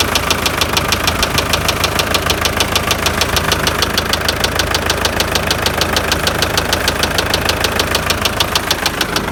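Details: MTZ tractor diesel at idle: hard, deep, metallic knocking about twice a second, which appeared mid-drive and was driven about 20 km; worn crankshaft main bearing shells, close to seizing, found on teardown.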